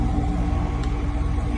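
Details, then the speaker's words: Outdoor AC unit after installing QuietFanGuard plastic cushion feet under the fan guard: steady low hum and fan drone, the previous fan guard rattle gone. "Look at that. No freaking rattle."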